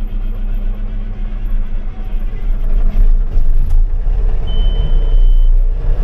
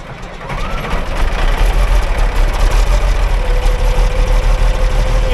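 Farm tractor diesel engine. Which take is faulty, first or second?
second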